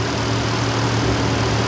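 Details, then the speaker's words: Big-block Ford 460 V8, new intake and Holley Sniper 2 EFI, first start: steady fast idle stuck near 1100 rpm with no hunting or dips; no vacuum leaks found, cause unknown then, later traced to the secondary screw. "so I can't get it to idle lower than 1100 RPM I don't have any vacuum leaks or anything like that so I'm not sure what's going on"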